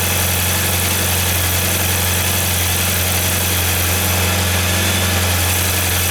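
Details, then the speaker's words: 1994 Saab 9000 after injector service, new battery and plugging a vacuum leak at a failing secondary air injection valve: engine settles into smooth steady idle, even beat, no misses; normal idle. "well that sounds better i still have four new tappets for number four i'll probably install those anyway"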